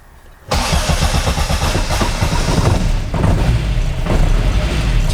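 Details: Mk1 Austin Mini with an Arden 8-port head, cold start while refining the cold-start enrichment map: it fires after a short crank and settles to a steady idle of about 850 rpm as the lambda kicks in. A clean cold start.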